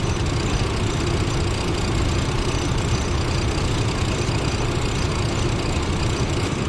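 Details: 1996 Chevrolet Blazer LS, warm idle while the transmission is checked and found to have no fluid on the dipstick: even low rumble, steady level, no knocks or misses; normal warm idle.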